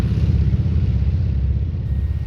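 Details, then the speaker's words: 1954 Twin Beech D-18, two Pratt & Whitney 985 radials (450 hp each), direct-drive superchargers, at takeoff power: deep, heavy, fast even pulse held steady; engines pulling strongly and healthy. "Fantastic sound."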